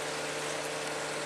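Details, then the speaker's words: Whisper Flow variable-speed pump at speed two of four: soft steady whir with low hum and airy hiss — not the magnet motor but the motor's cooling fan, which spins faster with speed; normal quiet running. "sounds like a small fan that's actually what you're hearing you're not hearing the magnet motor moving you're actually hearing the fan cooling the motor as it gets faster needs more fan"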